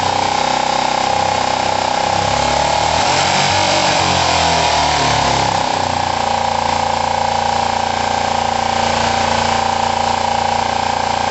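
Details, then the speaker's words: Kawasaki ER-5 parallel twin, during timing and valve clearance work: coarse, uneven lumpy idle instead of a smooth twin rhythm, as if one cylinder is not pulling; both cylinders then checked for heat; rough running, cause suspected, not confirmed. "It definitely doesn't sound good to me."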